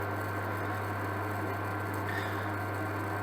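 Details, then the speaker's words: Amzchef dual induction hob with E0 no-heat fault, powered on with a pan of water: steady low electrical hum with faint high tone, even and unchanging; zone heating the pan, confirmed on thermal camera. "and I can hear it doing something to the pan so I wonder if it's worth getting the thermal camera out just so we can see the team look"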